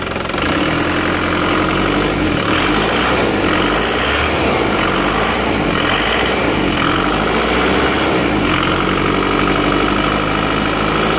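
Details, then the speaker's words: Isuzu Panther diesel just after engine rebuild (one liner, piston rings, gaskets replaced; previously smoking), first start: even steady clatter settling immediately to stable idle, no knocks or misses; smooth and healthy. "stabil Ya sudah langsung stabil jadi start awal stabil tidak goyang"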